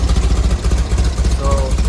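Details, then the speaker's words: 1970 VW bus with dual 34 carbs and a new CSP bell crank linkage, just started cold with mixture screws at two turns out: lumpy idle with a wavering pulse and uneven beats between cylinders; carbs not yet synchronized, mixture likely needs fine-tuning. "you can clearly see it's not synchronized yet and the mixture screws probably have to be fine-tuned also"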